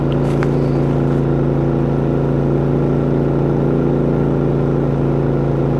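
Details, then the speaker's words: New Harbor Freight inverter generator, about 12 minutes of run time, powering a travel trailer's AC: steady, even engine drone with a constant low hum, no knocks or surging, carrying the load smoothly. "So what I'm going to do, I'm going to prep this phone up, and I'm going to go inside the trailer and turn the AC off and then back on so that you guys can hear how she loads down when it cycles on and off."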